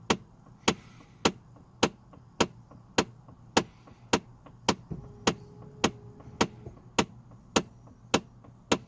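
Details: Chevrolet Trailblazer / GMC Envoy at quiet idle, air only from windshield vents: sharp evenly spaced clicks about 100 per minute from behind the dash; failing HVAC blend door actuator under the dashboard, confirmed.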